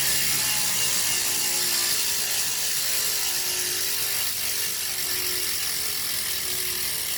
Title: Elite Rampa making noise